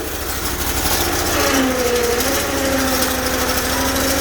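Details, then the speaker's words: Bolens 1600H hydro tractor, cold at about -7°C, engine running: strained droning whine from hydrostatic drive fighting the applied parking brake; won't go forward but reverse works. "She's fighting herself. The brake's on. Doesn't go forward, but reverse still works."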